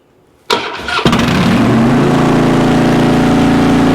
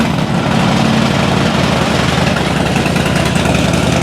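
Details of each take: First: 2006 Harley Dyna Wide Glide that misses on throttle: brief starter whir, then it catches and runs steadily with the throttle held slightly open; owner suspects a gummed-up idle air control valve. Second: 2006 Harley Dyna Wide Glide after fixing a grounding-out fuel pump; even, loping V-twin idle with a steady beat and no misses, coughs or pops. Sounds healthy.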